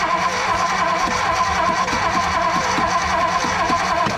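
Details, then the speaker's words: 1957 Ford Fairlane 500 sitting 30+ years, with new ballast resistor, fuel pump working and throttle pumped, starter churning steadily, slightly unevenly, about once a second without firing; it ran shortly after. Cause suspected, not confirmed. "well just cause it's turning over don't mean it's getting fire hold on nope"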